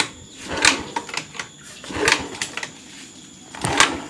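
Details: Honda Beat eSP fuel-injected scooter, dead no-start with code 12 (injector) blinking: three kicks clatter through each stroke but never catch; fuel pump not humming at key-on, unpowered because of a loose fuse clip.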